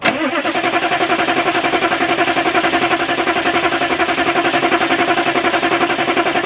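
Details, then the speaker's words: 6.2/6.5 diesel with new fuel filter, previously ran well apart from cold starting: even starter chug about 220 per minute that never catches; cranks but won't start, owner suspects electric lift pump under the frame. "lift pump problem lift pump is under the frame and I just filled it up with fluid film"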